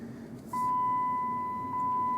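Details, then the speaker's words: Car cabin while driving without seatbelt: steady clear electronic tone with a brief dip over quiet cabin hum, repeating every few seconds; normal seatbelt reminder chime, before disabling it. "so you can hear the seat belt as it was just chiming there it's going to chime again in a few seconds here"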